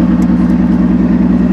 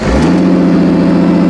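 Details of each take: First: 2002 Ford Taurus demolition derby car after its third derby, idling without coolant: a lumpy, uneven idle stumbling about three times per second before shutdown; it runs on five cylinders, with one spark plug boot melted through. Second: 2002 Ford Taurus derby car after a damaged plug boot was refitted so all six cylinders fire again: quick start settling into a smooth, even run with no misfire or stumble. The engine previously shook slightly and is now completely smooth.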